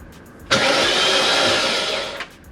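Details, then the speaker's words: BMW E39 M5 supercharged S62 V8 after rod bearing replacement, first crank with fresh filter: smooth, even whirr spinning over on the starter under two seconds, no knocks. "sounded fine no knocks no knocks"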